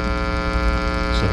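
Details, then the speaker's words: Homemade tube guitar amp with swappable tone-stack module: loud, steady low hum of constant pitch when the module is removed from its metal-tape-shielded enclosure; mains pickup from unshielded tone circuit. "if i take that off it gets a little bit more noisy if i take it out of here it gets even more noisy"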